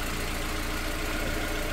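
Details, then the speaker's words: Renault Twingo mk1 at idle right after catalytic converter replacement (P0420 and P0136 codes, earlier rattling): a steady idle with a choppy, uneven exhaust beat. It sounds very different, but no leak is seen, felt or smelled; cause unconfirmed. "I can't smell any leaks it just sounds very different anyway"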